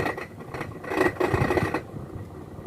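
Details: Washing machine that won't drain, during spin: irregular rattling knocks from a broken piece loose in the drain pump, not the bearings or mechanism.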